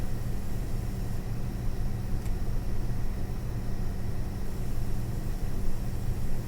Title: ASUS Dual GeForce RTX 4060 EVO making strange noises